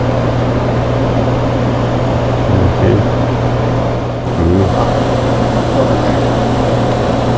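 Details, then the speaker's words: Frequency-doubled Nd:YAG (KTP) laser at power-on: circuit breaker thrown, key switch on; steady low hum with soft clicks as shutters and beam selector move, starting a 6-minute warm-up testing powers, shutters and detectors before operator mode; normal. "The laser is going to go through a 6-minute warm-up where it tests powers, shutters, and the detectors before coming up in operator mode."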